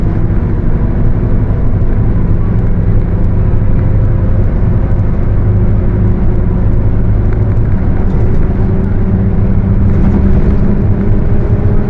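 Over a heavy diesel drone, a hollow roar with a faint tone near 400 Hz climbs steadily with road speed, pointing to a worn differential.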